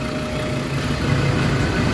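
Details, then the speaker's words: Ford Ranger 3.2 diesel after the vibration was addressed: steady, low idle with an even beat and no shudder, roughness or knocks; much quieter than the earlier strong vibration; normal idle. "Okay hindi na ganon kalakas an wala na yung vibrate. Hindi tulad kanina makita mo talaga yung vibrate talagang ah sobrang lakas."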